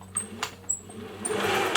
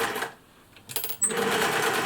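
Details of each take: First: 1950s Singer 401A sewing machine with light corrosion, motor test before cleaning: short bursts of motor whir with clicks and a faint high whine, a bit rattly and uneven; runs but noisy, due a service. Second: 1950s Singer 401A sewing machine after refreshing it with parts from a donor machine: a steady stitching rhythm about four per second, fairly even but a touch rough, with bobbin tension probably a bit tight. Acceptable, not the smoothest.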